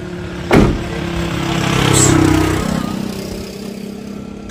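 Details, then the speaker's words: Suzuki DA16 mini van after replacing a worn bearing at the shop: engine starts, rises briefly and settles to an even idle, no squeal or whine from the belt side; previous noise at startup much reduced, quieter now. "Ah yan mga master hindi na masyadong maingay."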